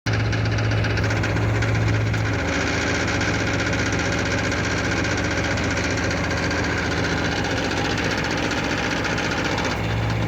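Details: 1989 Pontiac Firebird 5.0L 305 automatic: steady V8 idle with an uneven metallic rattle about four per second near the flexplate/bellhousing, louder with AC on, changing across P/R/N/D; flexplate and its bolts appear sound, slip yoke has slight play, cause unknown.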